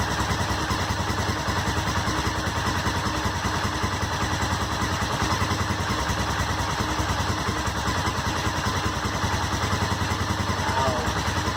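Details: Honda SuperHawk 996 (VTR1000) V-twin just reassembled after rebuild, fresh coolant: even, loping idle with a steady beat and light mechanical clatter; normal warm-up idle, though coolant climbed quickly to 102 and smelled hot.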